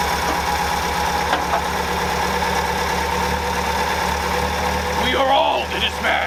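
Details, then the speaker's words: 1964 International Scout 80 after grounding fix and new low-pressure electric fuel pump: steady, even idle with smooth low exhaust beat through Sonic muffler, no misses or knocks; runs like a top. Normal idle. "So we have cured the grounding system, and we've got fuel delivery now through an electric fuel pump. And as you can hear, it runs like a top. It runs unbelievably good."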